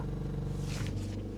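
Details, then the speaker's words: 2019 Honda Pilot 3.5L, recorded inside the cabin with the door closed while stationary, louder with a rev: deep steady droning like a wheel bearing, caused by a bad high pressure fuel pump vibrating against the firewall. "But anyways, it's just a bad high pressure fuel pump. It's right up against the firewall. You can't hear it underneath the hood, only inside the car."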